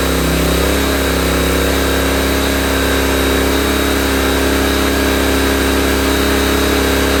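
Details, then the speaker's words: Honda EB1400X generator, carb believed never removed, restarted on choke: steady, even single-cylinder beat at one speed with no misses, surges or knocks while warming up; engine runs good. "Engine runs good. Warm it up just a little bit."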